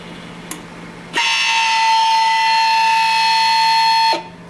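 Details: Master Chef countertop ice maker after water pump replacement, run with no water in it: a steady, harsh, high-pitched buzz lasts about three seconds as the little pump runs dry, louder than the original pump.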